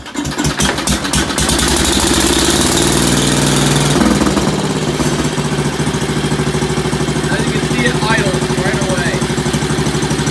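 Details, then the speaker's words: Ford small engine after low-speed needle adjustment, fired with starting fluid: fires up and settles into a fast, fairly steady buzz without stumbling; low-speed mixture sounds right, running normally. "um so now I adjusted the low-speed needle so it started sounding much better um it is not running pretty immaculate"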